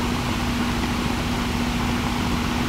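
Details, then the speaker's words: Home AC unit on a slab house: only the fan's steady whoosh and faint hum, no compressor drone; capacitor first suspected, chipmunks nesting in the compressor housing had damaged its wires. "I think the capacitor might be dead because it's compressor's not running the Fan's running but the compressor's not running"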